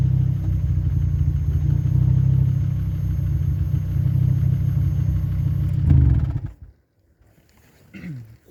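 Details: 2004 Volvo S60 2.4 five-cylinder with broken, leaking rear exhaust box: deep rasping exhaust held hard on the rev limiter with choppy cut-out beat, then drops away; rev limiter with exhaust leak.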